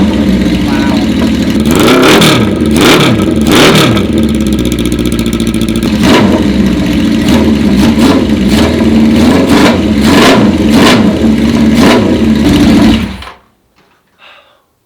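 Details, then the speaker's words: 1980 Honda CB650 four-cylinder bobber, started on choke with the custom pipes built from the stock pipes. Crisp, clean throttle blips with an even idle between them and no puffing leak. No exhaust leak; it sounds much better and runs better. "Wow, sounds fantastic. Oh my God, it sounds so much better. No exhaust leak. Actually, feels like it runs better too."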